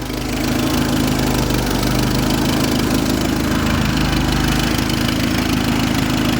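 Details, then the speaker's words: 1976 Fiat 124 with an added turbocharger and new ECU, at about 43 psi fuel pressure, with the timing belt exposed: it started right up into a steady, even idle with faint turbo noise and no knock or misfire; normal idle. "Started right up. Look at that. Wow. Let's see if we can hear some turbo noises here, guys. You can hear it a little bit. A little bit, yeah. Actually runs really good."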